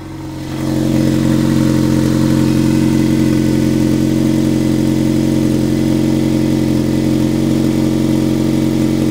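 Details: 1998 Toyota Corolla: a loud, steady droning hum with a fast, even pulse that began while climbing a hill at about 50 km/h and 3500–4000 rpm, and it now persists after lifting off the throttle; the source is unclear.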